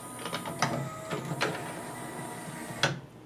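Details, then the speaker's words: Laserdisc player whose laser sled keeps ramming the end of its track: sharp clacks a second or so apart over a faint whir, and the disc never spins up. Owner suspects a bad capacitor, possibly the large 1-farad one. "It's literally hitting the end-stop on its travel like banging its head against the wall."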